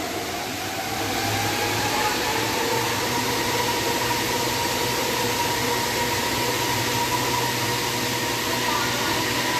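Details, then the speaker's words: Ceiling-suspended air conditioner after repair of an abnormal noise: smooth steady fan hush with soft even hum, no rattles or knocks; now quiet, running normally. "โอเคนะครับไม่มีเสียงแล้วนะครับเงียบนะ"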